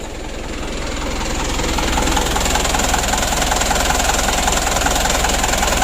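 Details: Mitsubishi Canter 136 PS HDL diesel truck idling after hard-starting repair work: a steady, rapid puffing about three a second with a raspy hiss; the muffler is rusted through with holes, leaking exhaust.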